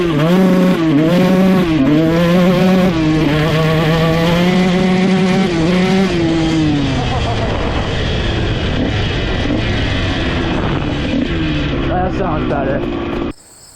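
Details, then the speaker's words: 2001 Honda CR125 two-stroke after rebuilt top end, main jet changed from 380 to 370: revs climb and fall cleanly, revving out fully at full throttle with no top-end breakup; normal full-throttle revving. "changing out that main jet from a 380 to a 370 seemed to help a lot. I mean, it's not breaking up at all top end anymore. So, when you gun it full throttle, you can watch in the GoPro footage, it actually revs out all the way and stays consistent throughout."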